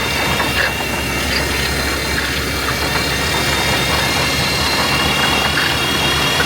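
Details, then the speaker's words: Old GMC squarebody truck started in cold weather, idling with knocks; steady high-pitched squeal over the idle, constant with engine speed, source later found, part to be replaced. "As you heard, when we fired it up at the start of this episode, it was making a lot of noise. Somewhere in there, there was something squealing. We didn't know what."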